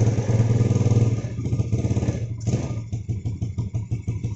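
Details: Yamaha Jupiter Z, hard starting, no stable idle, black spark plug, high fuel use: engine drops into lumpy, rich idle near stalling, dies unless throttle held; carburetor air screw adjustment and diaphragm checks didn't help.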